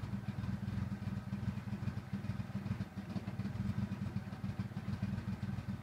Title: 95 talon tsi rough idle